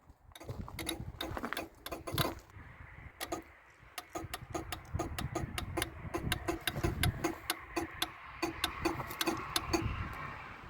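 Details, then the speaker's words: Range Rover Classic pickup V8, parked over 20 years, with relays bridged by hand and engine off. Sharp dry scattered clicks, then a fast irregular run; one relay found clicking loudly, and its purpose is unknown. "Yeah, this one is clicking away. Okay, which one is that? This one here. Okay. That's the click. That's what's clicking loudly."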